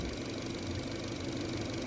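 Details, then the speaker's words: 2010-2015 Chevy Cruze 1.8 after replacing the noisy alternator with a remanufactured GM unit; smooth even idle, steady low hum, belt squeal gone: normal idle after repair, earlier squeaking was the alternator. "uh even the squeaking calm down but there's the alternator right there that bad boy smoother"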